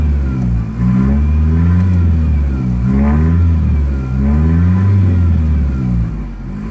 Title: 93 foxbody 2.3l rough idle 2